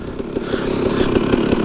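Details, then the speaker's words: Restored KTM 300 EXC two-stroke in neutral after rebuild: crisp rapid popping at steady idle, regular firing, no knocking or rattle; running alright. "seems to be running alright, but so far so good. So yeah, I'm happy it's finished, and I'm happy it's running now."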